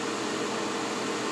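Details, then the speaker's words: Soleil space heater, dropped, with a broken fan blade repaired: after power-off with all lights out, the fan keeps blowing an even airy rush with faint steady hum, no rattle or scrape. Normal run-on to cool down; owner assumes a temperature sensor controls it. "I've turned the power off all lights went off but now it's got to blow the fan until it cools off I'm assuming"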